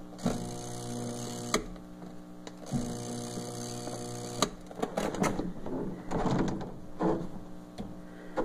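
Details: Twin-tub washing machine (tanquinho) that stopped washing and leaks: steady low electric hum in short bursts with clicks and rattles as the motor strains to turn a seized agitator.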